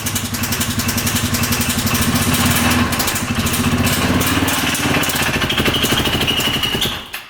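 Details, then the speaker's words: 2015 Polaris Ranger 570 4x4 UTV, bought cheap as non-running, revved after valve adjustment: uneven rapping with a thin high screech near the top; a knock persists beyond the valves, cause not pinned down. "Ooh. Yeah, you can hear like a screeching sound. So there's definitely a knock."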